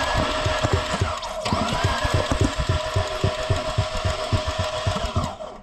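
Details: Fiat 500 Multiair left sitting six weeks: rhythmic cranking about three to four beats a second that never catches, sounding like no compression; air in the Multiair hydraulic unit, fixed by pushing the bleed point under the oil filler while cranking.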